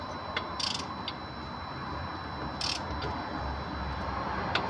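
Ratcheting mechanical chatter, roughly three or four bursts a second with gear-like clicks while cranking; starter engaging badly. Cause suspected, not confirmed.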